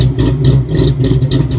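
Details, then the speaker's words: 1993 Ford Mustang GT Convertible from auction, sat about a week before starting. A deep idle with an uneven lope, a surge roughly every third of a second. Choppy running, possibly an aftermarket cam or poor running; cause unclear. "that's either it's running like crap or it's got a nice little cam in it cuz that sucker sounds choppy"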